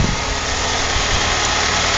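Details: 1999 Saturn sport coupe, not started in six months, idling: fast hissy clatter over steady engine note; owner says timing chain is ready to come out, engine burns too much oil and front suspension is worn.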